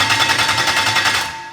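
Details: BMW E30 with swapped V8, first start attempt: fast, even starter chatter of about eight beats a second winding down without catching; cranks but no start with no fuel delivered, owner unsure if ECU is working.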